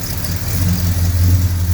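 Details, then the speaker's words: Mopar V8 with headers after new gaskets and welding the header pipes: deep, even rumble rising smoothly with revs, no ticking or puffing, weld not blowing and much quieter; exhaust sealed, no leak. "superb well chopped nothing blowing down there at all i think i might have something trapping away somewhere i'm not quite sure where that weld is definitely not blowing and that is so much quieter that's unbelievable"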